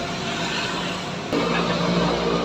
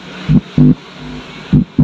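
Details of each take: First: Polytron PAS 79 active speaker opened for testing: music sounds rough and gritty with crackling hiss from one side only; other side normal per owner. Cause found to be a fatigued output transistor in one amplifier channel, later replaced. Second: Polytron PAS 79 active speaker after replacing the worn transistor (C15), powered and tested by touching the input: clean low hum bursts with quiet gaps, the crackling now gone; amplifier back to normal.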